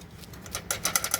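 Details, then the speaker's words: 1980 Mercedes 300SD diesel on a lift: light, quick metallic clicking as the transmission kickdown lever rattles in a worn-out bushing. It also rattles when idling at a stop. "See how that's rattling around? That's because that bushing is gone. And it'll do that when you're idling at a stop sign, and it's really annoying."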